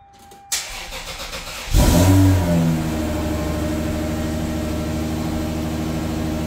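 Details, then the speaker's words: Lexus SC300, first start in a long time after exhaust and large mid-pipe with flex pipe installed: brief crank, then the engine fires, flares up in revs about a second and drops to a steady even idle. "I think it's time to see if this thing actually starts or not let's see if it does it's been a long time"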